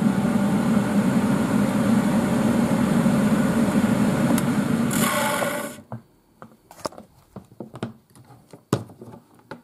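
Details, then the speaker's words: 1980s Tefal Spinmaster spin dryer (Calor, 2,200rpm max): a smooth, steady whirring hum for about five seconds, then it cuts off and the spin brake brings it to a quiet rattling stop. Normal motor run. "the motor sounds on this thing it's got a very nice sounding mower ready [Music] it accelerates pretty fast it does"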